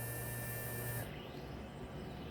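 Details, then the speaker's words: Procolored P13 DTF printer head cleaning/purge after a clogged white channel: low steady motor hum with a thin high whine and gurgling as ink moves through the tubes, then it cuts out; normal. "makes a lot of noise. You'll hear some gurgling. You might even get a chance to see some of the ink flowing through those tubes moving around."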